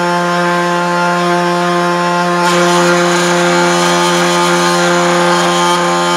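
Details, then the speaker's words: 3018 CNC router (all-aluminum Z-axis) running: loud steady buzzing whine with harsh rattle from vibrating Z-axis linear rods, which caused endmill chatter on an aluminum cut; pressing the rods makes it quieter. "i kind of narrowed it down to what it seemed like these linear rods here the z-axis linear rods so what's weird is when i push on them uh it actually makes it quieter"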